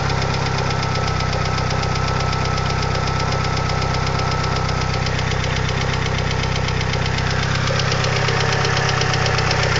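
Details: 2G DSM engine at steady idle with fast, even light lifter tick about four per second; fixed by installing upgraded 3G lifters.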